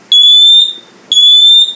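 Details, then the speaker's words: New First Alert Atom smoke detector (CR2 battery) on the test button: two shrill half-second rising "whoop" tones about a second apart; alarm sounds correctly. "that's right it's like a like a whoop tone it's really cool"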